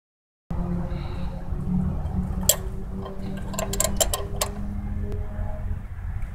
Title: Ground cable causing rough idle on mazda protege 00 1.6l